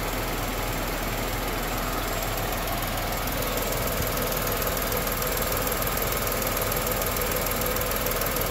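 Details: Tata Nexon 2020 BS6 XZA+S petrol engine idling, AC on/off comparison: steady even hum, smooth low rumble, no knock or miss; normal idle.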